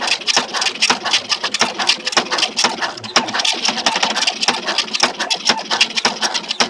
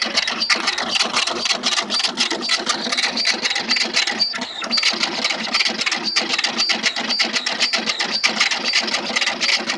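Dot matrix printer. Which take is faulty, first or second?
first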